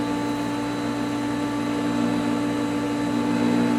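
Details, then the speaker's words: Pool pump running after backwashing and rewiring: steady hum with faint even buzzing; vibration still present but very light, disappears when pulling up on the pump inlet; run capacitor suspected, cause unclear. "you'll also notice that that horrible vibration noise that the pump had been making it's still there but it's very light"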